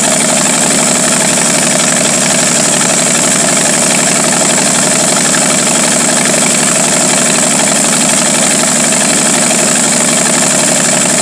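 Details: 1949 Studebaker 2R5 truck, Commander 6 engine, won't stay running unless fully choked: steady fast idle with a slightly uneven, lumpy beat under a loud hiss; rough idle from a vacuum leak.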